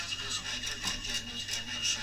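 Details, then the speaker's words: Aristocrat console valve radio after restoration work, warmed up on dim bulb then full power: thin, harsh, fizzy sound with almost no bass; distorting speaker with an awful cone, suspected, old test speaker to be tried. "That speaker doesn't sound good at all. It was working better than that before I did all that work on it. I'm very suspicious of this speaker."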